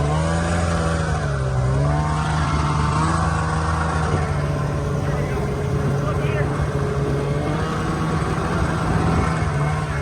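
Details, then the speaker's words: Snowmobile with ZL550 two-stroke after fixing a fuel problem causing no start: strong pull, pitch rising and falling cleanly with throttle, no stumbling or misfire; engine healthy under load. Normal acceleration. "you're right something it just makes you smile you're right it does rip from 550 that's pretty quick"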